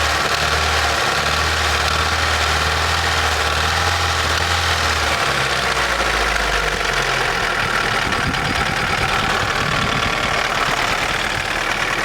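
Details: Daewoo Nexia N100 1.5 8-valve idling, hydraulic lifters already replaced; faint rapid ticking knock about three per second over a steady idle; cause unknown.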